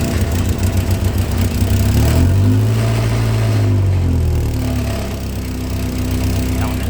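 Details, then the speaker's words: 1990 VW Golf Mk2, cold engine just started: loud, lumpy idle with uneven low shake, wandering rhythm, heavy vibration; owner suspects a temperature switch, not confirmed. "it's gonna be really loud and sound like absolute crap i think it's so bad the thing is it's vibrating so much"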